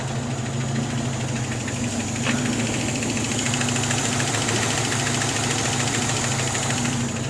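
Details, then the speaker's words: 1982 Toyota 4WD with 22R engine, just after valve adjustment (intake 0.008, exhaust 0.012): uneven light ticking/knocking over a steady idle, owner suspects the valve rockers, seems to come from the back of the motor; cause unconfirmed. "I don't know if you can hear that like kind of knocking noise. I'm pretty sure it's somewhere or something to do with the valve rockers or something. It does sound like it's coming more from the back of the motor."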